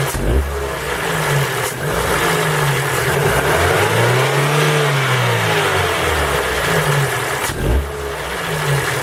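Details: Ford Focus 3 with PNDA petrol engine, cold: revs blipped up and down with a light rattling tick that tracks engine speed; cold-engine knock, cause unknown.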